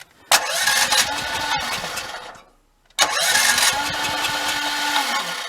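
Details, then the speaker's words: Generator with choke on, cranked on electric start after first simple checks: two roughly two-second bursts, the starter spins the engine steadily but it never catches or fires. No-start. "No, it does not. It does not want to start."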